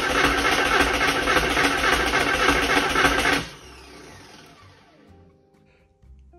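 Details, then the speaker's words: Flood-damaged Porsche 968 first start attempt after the fuel flush. The starter spins quickly and evenly but the engine never catches; the fuel pump is not running and the fuel rail is dry, and spark is still being checked. "I know I'm not getting fuel because I I opened up the cap for the fu R and it's bone dry still so that's the fuel pump's not firing"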